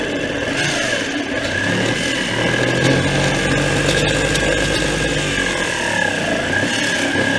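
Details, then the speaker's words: IH 1086 tractor starter with a suspected bad drive, bench-tested while held in by hand: starter whirs with a wavering, uneven, scratchy pitch instead of a clean spin; sounds a little better seated properly, something not right inside, cause unknown. "there you go it sounds a little bit better when you got it in where it's supposed to be so something's not right in here"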